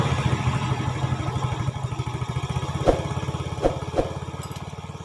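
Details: 2010 Yamaha Vega ZR after engine rebuild for rough knocking noise (rebore, 0.50 oversize piston, valves lapped and camshaft refitted, new valve seals): single-cylinder idle, even steady putter of low beats, no knocking, few stray clicks; normal idle.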